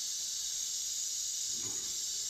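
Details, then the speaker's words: Boiler heating system whose radiators were bled: steady sharp hiss of air escaping from the bleed valve with faint gurgle at the end; air reaching the pump dropped its wattage, which recovers to about 45 W as air leaves. "see Air's hit that pump look at the what's going down but as the air leaves the wats will go back up there we go see the air left before the pump went up to full speed but I could hear it"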